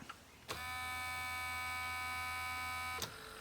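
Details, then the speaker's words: Sony SLV-676UC VHS VCR: a steady motor whine for about 2.5 seconds, then an abrupt stop. The tape-load mechanism strains and gives up because it doesn't recognize the tape and a tension rod won't move. "We have two problems. One problem is it's not recognizing you're putting in a movie, and when you do get it to recognize that there's a movie in it, our tension, one of our tension rods here,"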